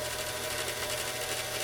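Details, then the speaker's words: Singer 337 sewing machine with a vintage foot controller: as the pedal goes down nothing happens until about halfway, then the motor strains, barely turns, and jumps to a steady high full-speed whine; faulty foot controller, to be cleaned and adjusted. "when it gets about half way you can hear the motor start start straining it's getting a little bit of juice still just a little spill still still now it's barely starting to turn and then it goes all out"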